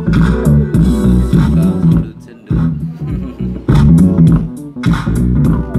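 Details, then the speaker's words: Politron active speaker after replacing one blown TIP41 transistor that caused cracked, distorted sound: bass-heavy music plays loud and clean with no crackle, buzzing or breakup; amplifier working normally. "Iramanya, iramanya sudah normal sekarang, iramanya. Wow, itu keren sekali, teman-teman. Sekarang ini sudah normal, teman-teman. Hanya mengganti satu transistor."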